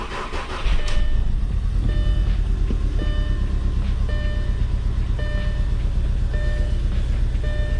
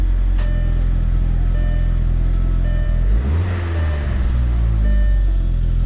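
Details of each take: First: Gasoline engine catches and settles into an uneven, stumbling idle with irregular ticks and hiccups in the beat, an engine misfire of unknown cause before diagnosis. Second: Gasoline engine after its spark plugs were cleaned and refitted to cure a cylinder-specific misfire: it fires up, flares and drops back to an even, steady idle with no stumble or skipped beats; the misfire is gone.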